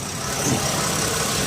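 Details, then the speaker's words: 2016 Toyota Sienna L wheelchair van with 3.5 V6, 61k miles, heard with the hood open; steady, even hum with a faint airy rush and no knocks, misses or surges; smooth normal idle. "let's pop the hood so you can listen to it run underneath the hood has a 3.5 v6 at idle smoothly"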